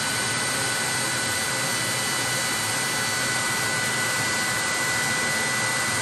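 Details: 30,000 BTU/hr multi-fuel fuel-fired personal cab heater for a 1973 M35A2 deuce and a half, after switching from run to off: blower pushes mildly warm air until it shuts off, nozzle then about 114 degrees; steady even airy fan rush, no knocks or rattles; normal cooldown.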